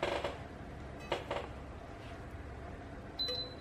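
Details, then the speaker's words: Electrolux single induction hob with cracked glass that does not detect the pot: several loud, sharp clicks after switching on, then a single high beep. Cause suspected, not confirmed. "tít tít nghe được tiếng tà tạch to lắm ấy"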